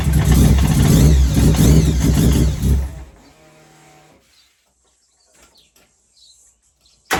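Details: Mazda 323 with 13B bridgeport-ported turbo rotary, first start after diagnosis and after fixing a fuel rail leak: fires and runs about three seconds with busy, even buzzing exhaust; starts and runs normally.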